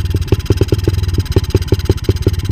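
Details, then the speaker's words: 125 cc dirt bike: the owner suspects an intake problem with blowback through the intake. Slow, lumpy, slightly uneven idle near stalling; idle speed too low, left unadjusted because no screwdriver was on hand. "Et au ralenti elle est pas mal. Est-ce que si je la règle j'arrive à faire quelque chose? Elle tourne vachement bas, puis j'ai pas de tournevis, c'est galère."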